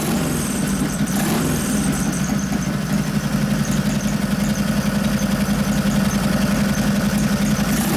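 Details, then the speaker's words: 1989 Harley Softail with 93ci panhead engine and rebuilt, rejetted Mikuni HSR42 carb: steady, lumpy V-twin idle with a deep even beat and no stumble or spit; accelerator pump turned way down, it now takes throttle cleanly. "So turn the accelerator pump way down and it's taking throttle better."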